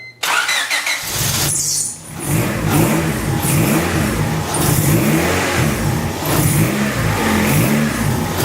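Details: Honda D16Y8 after rebuild, timing corrected by one tooth and idle air control valve reconnected: starts after brief cranking, settles into steady idle with a few throttle blips, running smoothly without misses.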